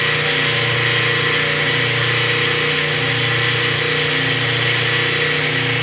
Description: Washer with a grinding noise, and will not agitate or spin.